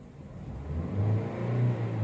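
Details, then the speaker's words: 2012 Honda Brio, about 80,258 km, check-engine light on, limping engine and rpm held back: rough idle, then revs sag and stumble before climbing. Cylinder injector later replaced. Misfire causing hesitation on revving. "jadi Hai ada nyendat dulu baru naik Hai kayak gitu ya"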